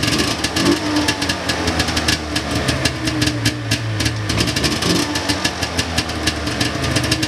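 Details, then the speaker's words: 1999 Ski-Doo Formula DLX two-stroke with carburetors botched by previous owner: rough uneven popping and sputtering idle, boggy; owner thinks it flooded from unneeded choke, plans carb cleaning and fresh plugs. "I think I just had the choke on there when I didn't need to have it on and just flooded her out but definitely sounds a little bit boggy"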